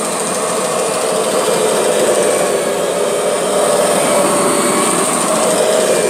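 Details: Kirby G6 vacuum cleaner running: steady high whirring with a faint wavering tone riding over the motor throughout; strange abnormal running noise, cause not clear.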